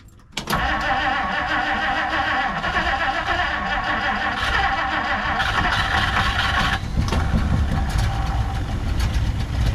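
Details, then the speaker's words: 1959 Plymouth Savoy that ran well the day before. It cranks and catches, then runs uneven and lumpy with surging and a ragged exhaust note. "that sounds terrible [Music] it was running so good"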